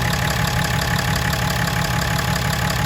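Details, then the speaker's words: 2017 Ram 3500 Cummins diesel just after changing both fuel filters and priming: steady, even clatter settling into smooth idle with no stumble or hunting; normal idle. "Time to start it up, make sure we don't have any air in the system."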